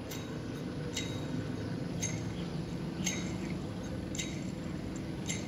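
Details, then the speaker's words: Toyota HiAce Commuter engine running: sharp ticks about once a second over a steady low rumble; tensioner pulley bearing rough when spun and with play, worn; bearing can be replaced. "Ayan kaya pag naranasan ninyo na parang may lagitik sa harapan ng makina yung Toyota high Ace o kaya ung kamukha din yung mga GL baka itong tensioner pulley din ang sira ninyo yan"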